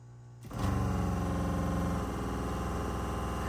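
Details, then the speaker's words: RV water pump with a newly installed IRVWPC smart pressure controller, running at full flow; smooth, even hum with a steady tone, no rattle, very little vibration. Hum audible because the pump sits in the truck camper. Normal running. "okay that's full blast very little vibration at all and the only reason why you can hear it humming like that is because we're in the morg of my truck"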